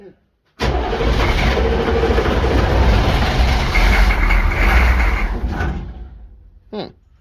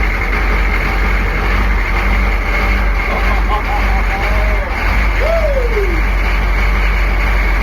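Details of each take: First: Military Humvee diesel abandoned 13 years, cranked after the glow light goes out: heavy, uneven, labouring crank of about five seconds that fades out without catching; long hard start, cause unconfirmed. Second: Military Humvee diesel abandoned for 13 years, first start after the glow light goes out: a deep, low rumble holds a steady idle without stumbling or knocking. The engine runs fine.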